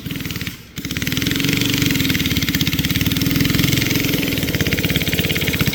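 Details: Barn-find race go-kart with an original flathead Briggs & Stratton that once ran alcohol, now on E85 after sitting 30+ years; the single pops unevenly, stumbling and sagging under load instead of pulling cleanly, and bogs. Carburetor issues suspected.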